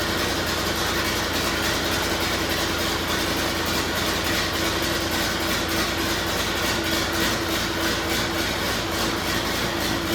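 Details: John Deere 450C bulldozer diesel, just started after fixing a pushed-back connector spade: steady heavy clatter with even drone, no misses or knocks through ten seconds; running normally.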